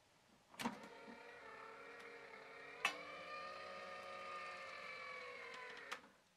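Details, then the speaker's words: Sharp VZ boombox with vertical linear-tracking turntable, mechanical button opens the door, camera mics on top close by: click, thin steady whir about five seconds as the door eases open, soft clunk; a normal soft-eject mechanism. "there you go so that's like a soft ejector mechanism and when you close it it just closes like that"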